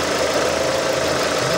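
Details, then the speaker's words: 2006 Suzuki Forenza after cylinder head replacement for bent valves, about 10 minutes after first start once lifters pumped up; quiet, smooth warm idle, no lifter tick, shaking or missing, healthy. "so it's uh it's actually really quiet you can hear it running right now it's not shaking not missing"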